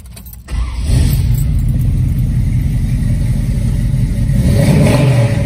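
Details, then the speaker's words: 1969 Camaro, 100% cold start with headers cold; catches after brief crank and settles into a deep, lumpy but steady rumble; normal cold start and idle. "100 cold start hear this thing fire up fire up and run"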